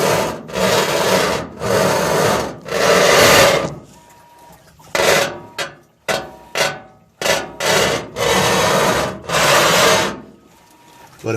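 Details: GE washing machine after being moved: loud rasping scrapes in one-to-two-second bursts with each agitation stroke, stopping in between, as the tub rubs on something underneath; owner unsure whether bearings or something knocked loose. Cause unconfirmed.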